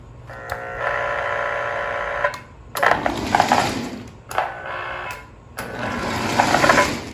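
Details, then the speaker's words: Lionel 6200 turbine (6-8404) locomotive on first power-up after purchase: small electric motor whirs in short bursts, pitch rising with voltage, running freely; the engine runs beautifully while the tender has sound issues. "Okay, well the engine works. I don't know what the tender's doing. The backup light works. Okay, so it grounds through the drawbar apparently. Well, the engine runs beautifully."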